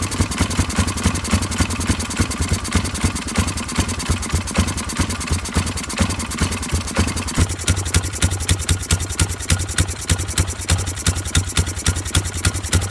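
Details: Polaris 500 HO single-cylinder ATV that came in as a no-start, with bad old fuel and mouse droppings: idle thumping at about three and a half beats a second, a bit uneven but firing every stroke; running again after a carb clean.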